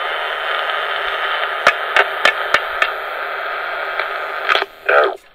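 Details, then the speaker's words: Juliette portable recorder on four C batteries, playback of a test recording: loud steady hiss swamps a barely audible voice, with clicks; the original crystal mic capsule is dead and is later replaced with a dynamic capsule. "Yeah, you could hear me slightly there. Unplug this so I don't have to hold the switch. So the mic is dead."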